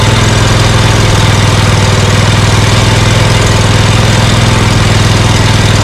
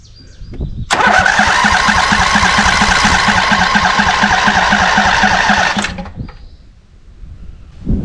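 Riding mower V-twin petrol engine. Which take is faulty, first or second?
second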